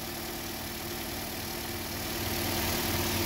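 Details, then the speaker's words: 2019 Toyota Corolla LE, about 60K miles, engine idling with hood open; smooth, even hum with no knocking, banging or squealing: normal idle. "knocking, no banging, no squealing. You know, pretty straightforward."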